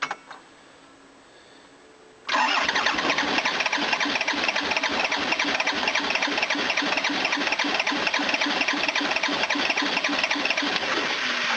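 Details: 1980s Toyota Hiace diesel van, new battery fitted after the alternator relay broke and the fusible link blew, with air in the fuel system: steady rapid cranking at three to four beats a second that never catches; may need injector lines cracked to bleed.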